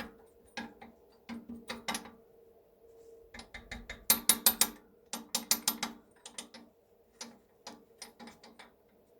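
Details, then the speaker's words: BR232 locomotive KT6 turbocharger, stopped rotor turned slowly by hand: dry metallic ratcheting clatter in bursts from loose turbine blades that slide out of their seats. "wcześniej w momencie kiedy ręcznie napęd wzięło się wirnik torba nie było słychać takie lekkie klekotanie właśnie będące wynikiem luzów upadek"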